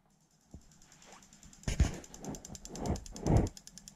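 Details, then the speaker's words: Link ECU injector test function via PC Link, sequential wiring: injector two pulsed alone gives quick even light ticking, about ten clicks a second, confirming wiring and injector open and close properly. "Because we know number one works, so we push OK. And again, I can hear an injector ticking."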